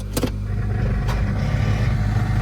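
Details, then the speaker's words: 1997 Honda Accord automatic, 246,000 miles, sold as bad transmission: engine idles steadily with a couple of sharp clunks and no drive; the CV axle is broken, not the transmission. "So that is not a bad automatic transmission. People think it's a bad automatic transmission, but what has happened is the CV axle has busted."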